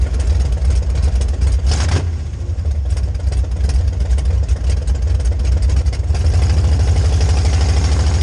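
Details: 1966 Chevy C10 rat rod V8 with rebuilt carb on test drive: heavy rumble surges and sags under load instead of pulling smoothly; fuel pump held pressure at idle and cruise but can't keep carb bowls full, mimicking ignition problem.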